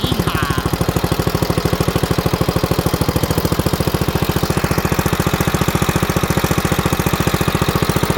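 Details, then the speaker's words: 1955 Wheel Horse Senior garden tractor, single-cylinder, first ride in possibly 40 years, riding in first gear. Steady even thump at a low easy pace with no gear whine: normal running, first gear healthy. "No gear wine at all. At least in first gear. We'll see how second and third goes in a few minutes."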